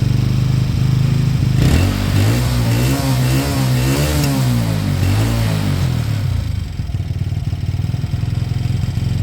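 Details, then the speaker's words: Beaten-up old Lexmoto motorcycle, many parts missing, idling after revival; steady low single-cylinder idle with even firing, a brief blip around two seconds, then settles smoothly. Fuel then turned off, engine judged great, needing only new oil and a small service. Normal idle. "I've turned the fuel off now engine sounds great it needs nothing um obviously new oil and a small service when it's ready"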